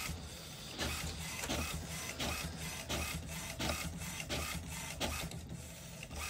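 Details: HP Smart Tank 500/516 printer after head cleaning and ink charging for air in the pipes and blank prints: even printhead sweeps about every 0.7 seconds, smooth feed, no grinding or clunks; printing normally.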